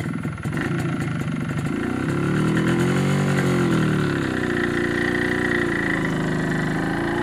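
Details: MZ ES 250/2 with a Bing 84 carburetor on too small a main jet, dangerously lean: uneven crackling, throbbing exhaust note while revving; this is self-ignition from the lean mixture.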